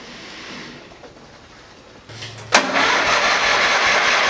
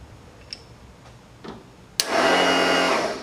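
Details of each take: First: Small Ford lawn tractor after replacing a deteriorated fuel line and inline fuel filter and adding fresh gas: brief crank, then catches at once and settles into a steady, even run with no missing; normal start and idle. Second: Small Ford lawn tractor, battery fully charged, no click from key, solenoid jumped: starter spins freely with a high whir and no cranking load; Bendix gear apparently not engaging flywheel, ignition or safety switch also suspected.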